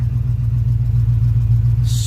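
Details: Lifted 1985 Chevy Suburban that had sat for 4 years, first runs after revival: deep, even low rumble with steady beat at idle, no misses or knocks; initial tests good, oil pressure gauge being checked.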